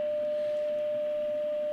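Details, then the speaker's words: Philips BX626 tube radio, first full power-up after replacing the power-tube grid coupling capacitor: a 10 mV test signal fed into the rear antenna socket gives only a faint steady ~600 Hz tone over low hiss even at maximum volume; the set is deaf, likely from detuned IF transformers. "If I put this into the antenna socket at the back here, I can hear a tone. Ha! Watch. It's actually on maximum, very low, but I can hear a tone."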